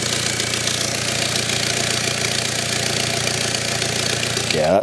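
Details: BMW engine at steady idle, heard close up where exhaust gases and smoke billow from the engine bay; a rapid, sharp puffing hiss rides on the idle: physical exhaust leak.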